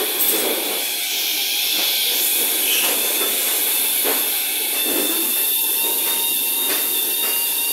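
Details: ЕД9М-100 electric train car, inside an equipment cabinet: a steady high thin squeal over a hissing background, with a second fine tone later; source of the squeal still unknown.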